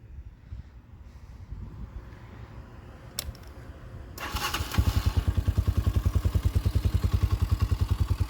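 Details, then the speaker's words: 2021 Tao TBR7 250cc dual sport after a top end rebuild, new swingarm bushings, EGR removed and capped; starter catches into a steady, even, quiet single-cylinder idle thump, runs good. "runs good. Pretty quiet too."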